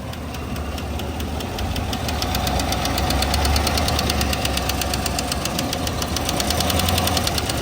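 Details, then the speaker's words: Chevrolet Tahoe 6.2 L86 V8 with AFM/DOD, power-braked in forward gear under load: sharp steady ticking about four a second, no misfire, heard at the front cylinders; failing lifter suspected. Suspected lifter tick under load. "Sounds like it's up front. One of these two up front. That's what it sounds like to this guy."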